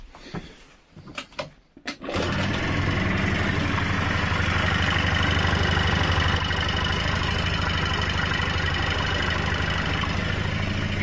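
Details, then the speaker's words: Honda Dio Fit AF27 two-stroke scooter that would not start, after carburetor cleaned and blown out, fuel feed restored and enrichener (choke) wires resoldered; a few rough catches, then fires and holds a steady even idle; repaired, runs fine. "друзі продулось в промилось скутер прийшов в робоче состояние можна віддавати клієнту"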